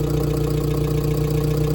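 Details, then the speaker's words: Freshly built turbo Hyundai engine on first run, 40 psi fuel pressure, about 65 lb oil pressure: steady, even idle with a faint fast light ticking from collapsed hydraulic lifters, expected to quiet down. "You hear them lifters? They're going to do that for a while, but it'll be all right."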